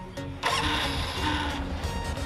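Engine cranks briefly, catches and settles into a steady, even idle with no ticking from the cam chain; music plays underneath.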